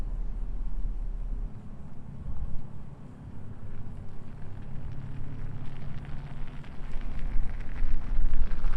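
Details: Toyota 4Runner with 1 1/4" hubcentric Spidertrax WHS007 wheel spacers driving slowly at full steering lock (driver side), low rumble and some wind, no scraping or rubbing; tires clear, though slight rub noted in full reverse.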